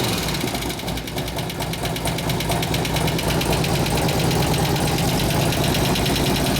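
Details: 2004 Harley-Davidson FLHT Touring 88 Twin Cam first started after a cam change and tensioner bearing repair, new lifters, fresh oil and gas: light, even ticking about twice a second over the idle; fresh lifters not yet pumped up, expected to quiet after 15-20 minutes of running.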